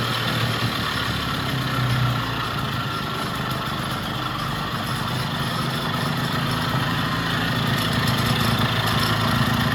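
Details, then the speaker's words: Vintage Jacobsen two-stroke reel greens mower after gear oil check and greasing all fittings, cold weather; steady even low drone, smooth regular beat, no misses or knocks; runs healthy. "Runs pretty good. So I'm going to check them, see how sharp that reel is."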